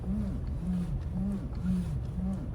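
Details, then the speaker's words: Toyota Land Cruiser 200: low moaning groan in the steering, coming and going about twice a second as the wheel turns, mostly in cold weather and sometimes absent; cause was a dry steering shaft joint, cured by greasing. "әйтеуір ондай дыбыс бар да рөлде. Осы салқын кезде шығады да, кейде шықпай қалады."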